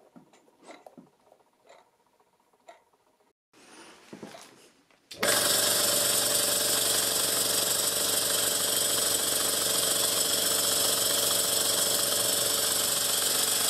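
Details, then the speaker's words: Stuart S50 steam engine, freshly lubricated, on its first startup running on air from a compressor. After some handling noises, a fast, even exhaust chuff of about four beats a second starts and holds steady; it runs fantastically. "well guys it runs actually fantastically"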